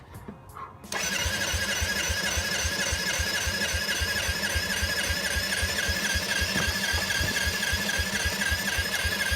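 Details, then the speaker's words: 1986 Yamaha quad, engine just unstuck, new fully charged battery, fresh fuel in cleaned tank: starter spins at a steady quick chug about four beats a second, cranks but won't start; owner suspects the carburettor, unused for years. "the quad didn't start last night from a big advantage the carburetor business thing sack for years and it was made in 1986 so the carburetors probably shot"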